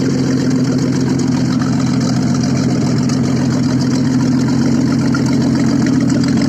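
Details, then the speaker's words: Audi first started after repair, running without exhaust: loud, raw but steady idle with even beat, no misses or knocks; engine runs smoothly. "работает без выхлопа."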